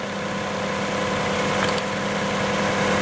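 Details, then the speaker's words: Toyota 3.0 3VZE distributor engine at idle: RPM stays steady when the number six plug wire is pulled, showing that cylinder is already dead; fault lies between wire and spark plug or elsewhere in the engine. "no change at all so the problem has to be some somewhere between the wire and the spark plug or some possible other engine issues"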